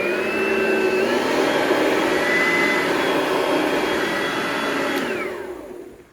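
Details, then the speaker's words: Oreck XL21 upright vacuum after replacing a busted fan chamber and fitting a new belt: clean, steady high whine that comes up to speed, holds smoothly, then winds down at switch-off. Normal running. "The belt, new belt I put on, it's perfectly fine, so I'm just gonna turn it on just for a few seconds, just for the video."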